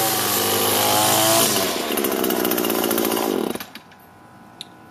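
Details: Echo two-stroke line trimmer after replacing the gear head unit that rattled at the shaft bottom: revs high, settles to a smooth, even idle, then shuts off cleanly, no rattle; normal running.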